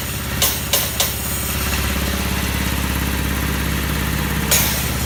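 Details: Old Haskel gas booster after a shuttle valve rebuild, under load: sharp metallic bang-then-taps clusters over a steady compressor drone, the shuttle moving so fast it bounces on one side and chatters.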